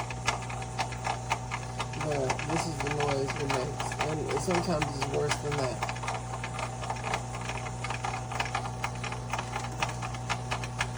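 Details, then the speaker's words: GE Profile Opal 2.0 XL countertop nugget ice maker, bought end of October, run on distilled water: steady low hum under a fast irregular clicking rattle, about two per second, recurring after every vinegar-and-water cleaning. "This happens every time I get done cleaning it with vinegar and water. It still makes this noise."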